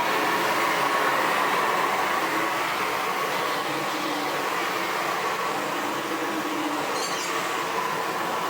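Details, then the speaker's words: Sebo Felix Classic vacuum cleaner from 2005, running on hard floor with a front head part (brushes?) missing: loud even rushing roar of air escaping out the front, no low thump; it otherwise works and runs. "yeah I can hear the air roaring out the front of that without that front whatever it was on there brushes or black"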